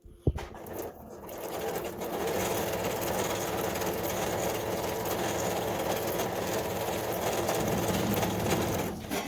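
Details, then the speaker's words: Kenmore 385-19550 computerized sewing machine, made in Taiwan, running a stitch pattern (design 29/13) with a loud, busy, very noisy clatter throughout; mechanism needs cleaning and lubrication. Loud running noise. "it's really good that's the back but as you see um you hear the noise and it's very noisy"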